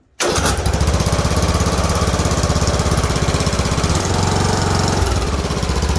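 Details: Craftsman riding mower, Briggs & Stratton overhead-valve single-cylinder engine, after camshaft replacement fixing broken decompression flyweight (too much compression to start); some oil on exhaust. Starts right away, settles into an even, quick thump with no misses or knocks: normal running.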